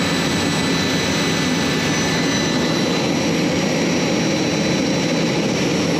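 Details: J79 jet engines on a successful ground run after refuelling and fixing leaks, to verify the leak repairs; steady, even jet roar with a thin high whistle, no surging or pops. Normal idle.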